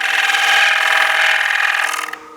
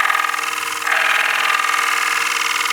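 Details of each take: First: Wood lathe bowl turning with a bottoming bowl gouge with steep nose bevel: harsh, rapidly fluttering scraping chatter from the thin, unsupported bowl rim vibrating; fix is supporting the outside of the bowl with shavings. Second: Bowl gouge cutting a bowl with shavings held against the outside to support it, steady even hiss with no stuttering rattle; chatter damped out, smooth cut.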